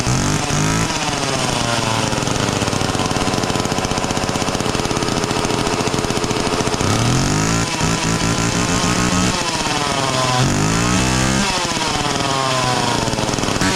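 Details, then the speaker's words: Homelite 240 chainsaw, just revived with starting fluid: buzzy two-stroke catches and holds, rising and falling with throttle blips. It now starts and runs fine, though the carb still seems to need a little tweaking. "okay maybe it's working just fine all right well uh sounds like the carb needs to be tweaked a little bit but uh I'm going to say we solved the problem for now"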